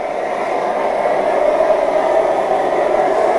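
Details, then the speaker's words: MSR XGK EX white-gas expedition stove with windscreen, running at full output heating water: even, steady roar with breathy hiss, no sputtering or pulsing; normal burner roar. "My name is Linsdau. I am a polar explorer and motivational speaker, and I love listening to the roar of a stove."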